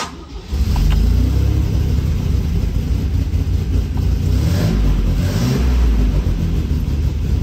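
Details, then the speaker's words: MGC-GT long out of storage, choke pulled, aftermarket fuel pump, no working alternator: catches right away and settles into a steady deep rumble with some revving, running evenly without knocks or misses; engine starts and runs. "the engine does run and I have an idea on how to get by without an alternator"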